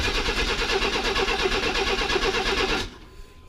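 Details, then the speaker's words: Chevy S10 Blazer after spider injector replacement, compression confirmed: steady starter churn at about three turns a second that never fires; fuel pump only runs for a second, relay/wiring suspected. Crank no-start. "on no that pump's only kicking on for a second I have I can hear it up here"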